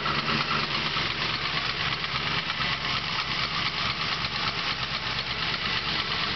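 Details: Chevrolet 383 LSX V8 at idle with a fast, uneven light clatter and a thin squeak riding over the engine note; suspected piston slap and squeak, cause not confirmed.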